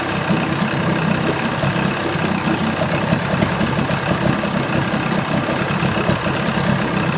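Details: 1980 Chrysler 45 hp two-stroke outboard at fast idle after the crank-no-start complaint: a steady, even burble with no misses or knocks; responsive, nothing found wrong.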